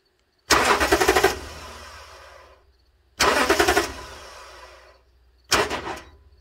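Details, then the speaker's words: 2009 Toyota Tundra 5.7 intermittent no crank (earlier P2799 immobilizer code): with relay jumper bypassing the ignition switch, starter solenoid chatters in rapid clicking bursts with no crank; faulty solenoid, whole starter being replaced. "You can hear the solenoid clicking. So the solenoid is the problem on the starter, but we're going to change the entire starter."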